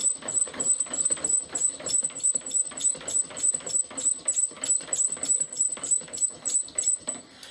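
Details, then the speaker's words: Heavy, slightly off-centre pump drill, cedar spindle on pine hearth: a high scratchy squeak about three times a second with each stroke as the hearth glazes and slips instead of biting; oil suspected, not confirmed. "you hear all that squeaking sounds like there's a bit of oil in there or something you can tell by the sound we're not getting the friction that we want it's really just glazing"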